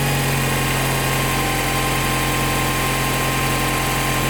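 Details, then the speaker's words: Honda Prelude 5th gen H22A5 2.2 VTEC, first test start after new water pump, seal and hydraulic tensioner: steady idle with a thin constant tone; timing belt rubbing on the balance belt idler pulley. "Là, j'ai un doute. Vous entendez ce bruit ? Pour moi, c'est signe que quelque chose cloche. Je constate alors que la courroie de distribution vient frotter contre le galet de la courroie d'équilibrage."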